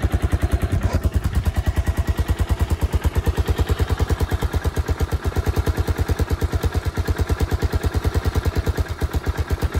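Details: 1986 Suzuki Savage 650cc single, revived after years sitting with a replacement coil, fresh gas, crankcase oil, a battery and a makeshift Aprilia can exhaust: steady, even idle at about three strong pulses a second, no misses.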